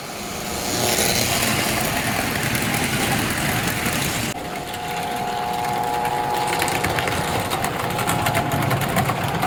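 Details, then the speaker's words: American Flyer #372 Union Pacific GP7 (1955-57) motor running well before further field-to-armature adjustment: even high whir with steady hum shifting once mid-run, no knocks or stumbles; normal smooth run. "But kind of out of the gate, this thing is running very, very well, as you can hear and see."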